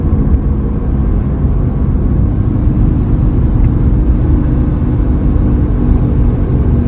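Steady low hum at even pitch under the road rumble while cruising; an abnormal drone whose source isn't pinned down.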